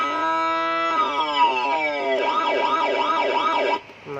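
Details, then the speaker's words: Siren module on a 12 V supply driving a speaker: steady tones, then rising and falling wails, all buzzy, harsh and scratchy, like a short circuit, instead of clean; failed amplifier IC. "Nah, ngerosok kayak gitu suaranya. Dan cat juga sama. Ini kita pencet juga sama kayak gitu, kayak suara konslet. Nggak mau jernih suaranya."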